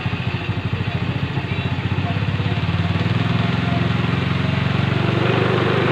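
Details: Rusi 110 motorcycle previously hard starting with no idle, after oil change, tune-up and valve clearance adjustment: even low putter at idle, steady pulses without stumbling or dying; now idling properly.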